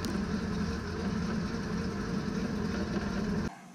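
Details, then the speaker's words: 2006 Meridian 341 propeller shaft spinning in drive after realignment fixed the cutlass bearing squeak and leaky PSS seal. Steady, even drone of engine and shaft with no squeak or rubbing, then drops away; running smoothly, no leak. "doesn't seem to be leaking and it sounds better it's not squeaking"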